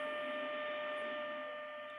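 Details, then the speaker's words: Grundig 2147 radio during AM IF alignment after recapping, signal generator test tone: clean steady mid-pitched tone over faint hiss; signal low, so the AGC probably isn't kicking in. "so i can discern the signal but i've got some static which means that the agc probably isn't kicking in good"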